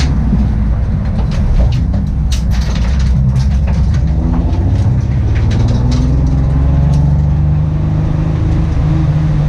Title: Engine Misfire